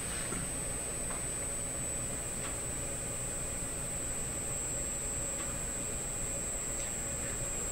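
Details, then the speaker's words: Canadian Admiral J104X/J105X console tube amplifier, inputs shorted, from the speaker: constant thin high whine over steady hiss, pitch slowly drifting as if warming up; hum/oscillation, cause not yet found. "so that sound is coming out of this speaker so there we are there it is so slowly changing pitch as if something is warming up I have the inputs shorted out by the way"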